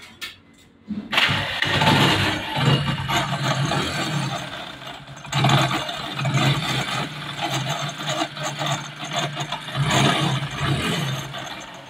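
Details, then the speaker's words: Hero HF Deluxe motorcycle: after start-up, the idle carries a harsh, uneven rattle and scraping from inside the engine; the starter one-way clutch inside the magneto is worn out, a cheap fix rather than an engine rebuild. "तो दोस्तों वह जो sound है वह गाड़ी के magnet के अंदर है जो इसका सेल फनवे है व खराब हो चुका है"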